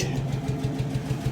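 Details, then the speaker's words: 1968 Dodge D100 slant 6, 4-speed, parked 20 years, restart after revival: smooth even idle pulses about six a second, no tapping or stumble, runs like parked yesterday and is charging. "how's the [Music] restart like it was parked yesterday oh it's even charging look at that"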